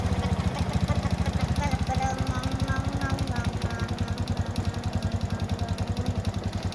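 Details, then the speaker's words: Honda Wave S 110 single-cylinder engine at idle: hollow, uneven knock riding each firing stroke, about two to three a second; piston slap, piston replaced. "hello friends today i saw about repair motorcycle and part of motor that noise of piston,and change it."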